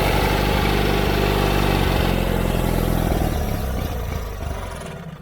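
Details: John Deere 317 riding lawn mower that quit while mowing: small engine runs rough and uneven, then sags and dies within seconds; fuel starvation from plugged carburetor, fuel pump, lines and tank verified fine, carburetor cleaning needed.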